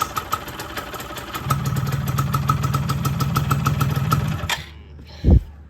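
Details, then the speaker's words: Yamaha F1ZR two-stroke after engine rebuild for a grinding noise, with pinion gear fitted and all parts reassembled: even, steady idle with crisp regular firing, no grinding or rattle, then engine cuts off; now quiet, normal idle. "Nih kalian dengerin suara yang sekarang nih. Full adem mas. Gak kuat lagi motornya. Tuh. Adem banget guys."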